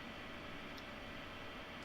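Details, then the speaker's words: Creality Ender 5 Plus Meanwell PSU after replacing noisy stock fan with two 40x10 mm always-on fans (plus thermostatic fans): steady even airy whoosh, no rattle or buzz; normal fan operation. "but these two fans will be on all the time the pin is on these other two are under the thermostatic control that is actually inside the PS"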